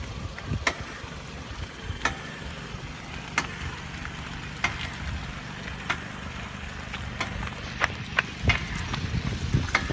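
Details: Knocking from the rear passenger-side wheel: sharp knocks about once a second over low road rumble. It appears after 10-15 minutes of driving once the wheel heats up. The dealer reproduced it and fixed a drum brake issue, calling it not a safety issue.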